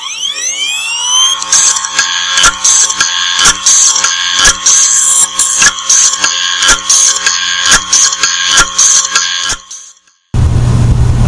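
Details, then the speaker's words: Toshiba MK5059GSX 500 GB 2.5-inch laptop hard drive: a rising spin-up whine, then fast, regular sharp clicks for eight seconds as the crashed heads slide on the platters and bang into their stops. "it sounds obviously crashed the heads are sliding around on the platters and banging into the stops so we're going to give you a chance to see what that sounds like"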